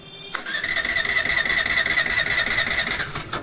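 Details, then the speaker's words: Suzuki Access BS6 scooter that slows and stalls while riding and starts only with throttle: starter whirs about three seconds at closed throttle without firing; TP/idling sensor fault. "Start కాలేదు అదే ఇప్పుడు కొద్దిగా light గా accelerator ఇస్తాను ఇప్పుడు చూడండి ఇప్పుడు start అయింది యాక్సిలేటర్ వదిలామంటే ఆగిపోయింది"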